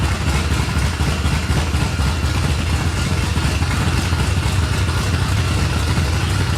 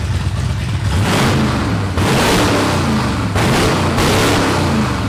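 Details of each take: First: 1989 Ford F-150 V8 project truck: lopey, uneven idle with a choppy, stumbling beat and clatter underneath, like a big cam or dead cylinder, belt noise like a supercharger; rough idle. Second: 1989 Ford F-150 after tightening loose throttle body bolts that caused lean running and rough idle: several quick throttle blips rise crisply and drop back to a steady idle without stumbling; much peppier, runs normally.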